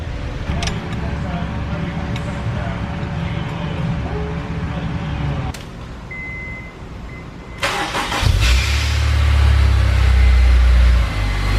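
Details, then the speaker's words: Honda S2000 just after a Clutch Masters FX300 clutch and new release bearing install; engine catches and settles into a low rumble with a harsh grinding rasp right after starting. Starter staying engaged, a common reason for starter replacement. "That noise you hear after it starts, that's the starter hanging out. We hear that a lot. We replace a lot of starters because of that."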